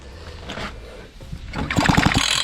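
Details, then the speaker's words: Fubag FPT 52 trimmer that won't start, after the spark plug was checked and a spark found. A quick recoil pull gives a few compression puffs but it never catches; fuel is pouring out and the engine is flooded, carb needle valve suspected. "бензин просто ручьём оттуда льётся. Залить напрочь. Залить напрочь."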